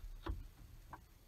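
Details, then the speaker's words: 2005 Ford F-150 Lariat, shifting into 4-high: two soft clicks over a quiet rumble as the transfer case actuator motor turns. This is a normal shift; the 4-high light illuminates. "that's the transfer case actuator turning moving to clock to go to the four high position"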